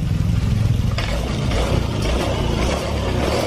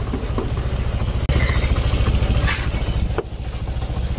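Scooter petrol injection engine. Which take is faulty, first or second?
second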